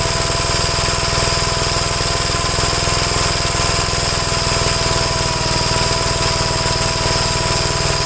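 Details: 1957 Gravely LI single-cylinder tractor after adjustments and choke removed. Steady, even beat at constant speed with no misses or surging, running cleanly. Owner concludes nothing was ever wrong with the carburetors.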